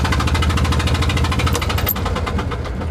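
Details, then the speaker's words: Invacar on a drive after it spat out a spark plug: lopsided, chuffing beat with sharp puffs on every firing as it limps on one cylinder; running on one cylinder from a loose spark plug. "see if I can limp back on one cylinder at least to the top of the next hill and then maybe I can coast into town"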